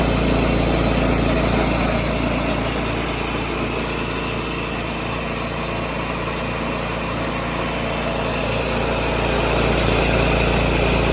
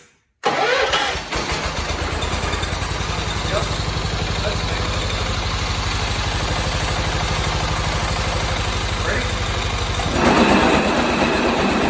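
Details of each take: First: 1986 John Deere 216 lawn tractor after carb cleaning and PTO adjustment, driven up the driveway: small single engine chugs at a steady pulse of about three and a half beats a second, holding speed without stumbling; normal running. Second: 1986 John Deere 216 lawn tractor, small single-cylinder engine: starts and runs with a loose, buzzing tinny rattle riding on the idle beat, the sheet-metal side panel vibrating.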